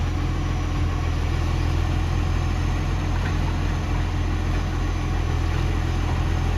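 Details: Ex-Canberra vehicle 728 at a deep, steady diesel idle with a constant low chuffing puff riding on the exhaust note: a loud exhaust leak, consistent with a leaking exhaust joint.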